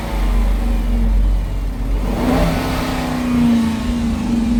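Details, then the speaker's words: Dodge Durango 5.7 Hemi V8 revved: a light tick that does not get louder or faster with revs, so owner suspects an exhaust leak rather than a lifter, possibly noisy injectors; cause unconfirmed. "When you rev it, the um the tick don't get louder. So, normally if it's um a lifter, when you rev it, the tick gets louder and faster."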